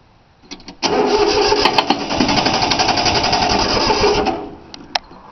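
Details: 3-cylinder Yanmar diesel cold start after repeated glow plug heating: even starter cranking for about three and a half seconds, never catching or firing; fuel lines weren't bled, so air in them prevents starting, though it usually starts right up.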